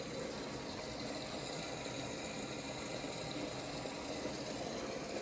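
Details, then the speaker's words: 15-year-old Whirlpool Duet WFW9450WW00 after an F15 door-lock latch repair and an earlier drain pump replacement, quick wash with 15 minutes left: even hum and swish as it drains and refills, no knocking or rattling, no error codes. "I hear it draining. Actually putting more water in there. No error codes yet."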